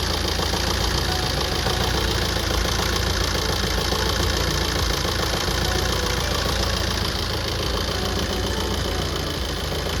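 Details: Tata Safari Storme diesel VX 4x2: loud idle with rough, uneven knock three or four times a second, traced to fault code P0203 injector 3 circuit; knocking solved after repair.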